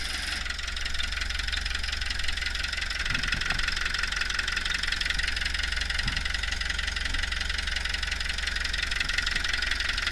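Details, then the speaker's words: Hitachi UH043 excavator abandoned 16 years in woods, water drained from hydraulic tank before starting: even diesel clatter at steady idle with no misses or hunting; it runs healthy and most controls work. "Well, she's a runner. Um, most of the controls work."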